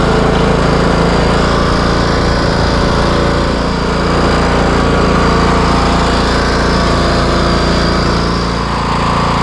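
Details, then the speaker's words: Craftsman T130 riding mower after repair, started on choke, cutting end-of-season grass with blades engaged and deck set high: engine runs steady and strong over several seconds of cutting without surging, knocking or sputtering; running healthy. "and there you have it this bad boy is ready to go this is how I do it"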